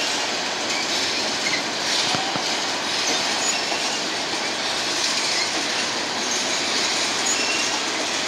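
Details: BNSF empty grain train at sunset, headed to North Dakota for reload, led by two GE locomotives: hissing, screechy high-pitched wheel noise over rail clatter as cars pass; a few wheels squealing on the rail.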